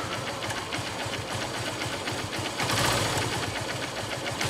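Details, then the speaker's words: Honda Unicorn BS3 motorcycle idling: fast, even tick-tick-tick keeping time with the engine, heard suddenly from the engine; abnormal ticking of unknown origin. "फिर और guys दूसरी एक problem आ गई है वो है engine sound में पता नहीं अचानक से बहुत टिक टिक टिक टिक टिक की आवाज आने लग गई है बाइक के इंजन से"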